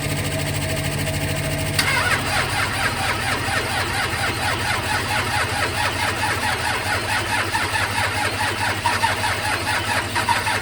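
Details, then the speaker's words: 12V Cummins diesel, cold-morning start: heavy, steady cranking with a rough, low rumble that stumbles and never settles into idle, with smoke. Hard cold start. "And this is what the diesel does on a cold ass morning. Smoking me out over here. Well, that didn't work very well."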